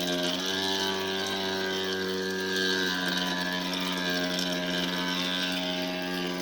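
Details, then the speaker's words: Electrolux washer: steady motor hum with constant tone and faint whirring, still running with outlet and whole-house main power shut off; starting another cycle was the only way to stop it. "Okay, power off to the whole house and it's still running. How is that even possible?"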